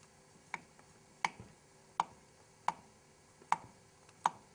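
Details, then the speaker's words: 1974 Honda CB750 head rebuild: light taps on a valve that is not seating properly give a dull click with no ring, unlike the high-pitched metallic ting of a lapped valve on a proper seat; poor seating loses compression. "Listen to the difference between a lap valve, a proper valve seat, and one that's not. It's a high-pitched tingy metal sound. Now, listen to how dull this valve sounds."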